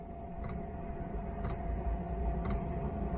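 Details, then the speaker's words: Chinese diesel parking heater in a car, about an hour after its first start following six months idle, fan at 1900 rpm: steady fan hum with an evenly spaced pump tick about once a second. Normal running. "die punktzahl langsam der lüfter ist herr und nach 1900 umdrehungen und"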